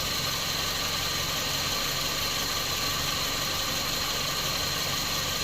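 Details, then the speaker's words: Toyota Vios 2007 at idle with AC on, after compressor replacement and system flush without removing the evaporator; Denso parts, all O-rings replaced. Smooth constant hiss and hum, no rattles or grinding; cooling cycles on and off normally. "หลังเปลี่ยนคอมแอร์ล้างระบบโดยไม่ถอดตู้แอร์นะครับไอเย็นตัดต่อปกตินะครับ"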